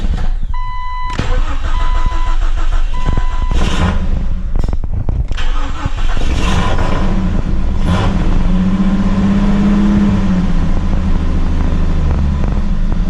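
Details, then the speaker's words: Jeep XJ that would not idle, after installing an exhaust header pipe with cat and plugging in the O2 sensors: a few chimes, then it catches, but idle drifts up and down, improved but not settled; owner suspects a sensor. "I got it the idol by itself it took a little bit I had to walk it all the way down so something still isn't quite right"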